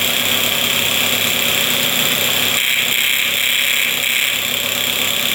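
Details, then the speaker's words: 1978 Puch two-stroke moped, fixed up after sitting with old gas, revs out high and steady with a sharp buzzy note and no stumbling or cutting out; normal revving. "But yeah, she uh she sounds pretty good. Revving out completely, too."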